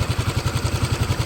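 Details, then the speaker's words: Suzuki Lets scooter after engine noise complaint: steady, even putter at idle with no knocks or rattles, sounding normal; a broken part was found nearby and needs welding, and an oil seal will be changed. "देखिए अभी पूरा सोई है sound कुछ दिक्कत नहीं है"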